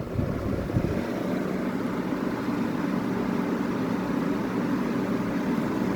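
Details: 1985 WCI 5K window air conditioner: even, steady whoosh of air with low hum underneath and no rattles or squeals; normal running on high fan.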